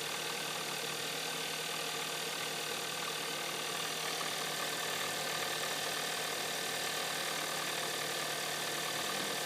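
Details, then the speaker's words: 2013 Hyundai Santa Fe petrol engine after start, idling with fast fairly regular knock about three a second, growing louder midway; louder still when colder. "going to get louder. And there it goes. And, yep, it's getting louder."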